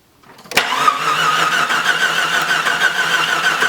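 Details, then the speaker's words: Jeep Cherokee that shut off after driving through a puddle, cranking with meter on the camshaft position sensor reading a steady 8.8 V then 0 instead of oscillating 0–5 V: even starter cranking with no firing; crank no start from failed camshaft position sensor. "Stop. Yeah, so the only thing it's reading is 8.89, and then it goes to 0. So that's definitely not oscillating between 0 and 5 for an average of 2.5. So I'm gonna say that's out of spec for the sensor."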